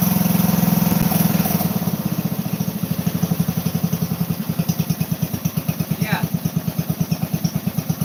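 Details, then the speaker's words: 12 horsepower MTD garden tractor engine that sometimes takes a while to start, runs after starting with an even, steady single-cylinder putter at idle, no misses or knocks; normal idle. "This is the little 12 horsepower MTV right now that's starting. Takes a while sometimes, but"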